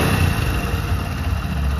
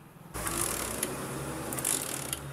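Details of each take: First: Hero Honda Splendor single-cylinder bike after repair of a fault that caused missing and stalling: low, steady idle with even beat, starts easily, no misses or knocks; running cleanly. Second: Hero Splendor Plus kick-start no-start: repeated ratcheting kick-lever clatter and spring clicks with no firing; failed CDI found, tested with a replacement unit.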